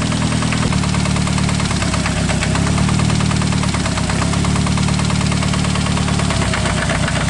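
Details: Engine on test, idling rough with heavy rapid knocking; pulling coils or plug wires one by one changes the noise at cylinder number one, pinpointing rod knock there, diagnosed with screwdriver trick.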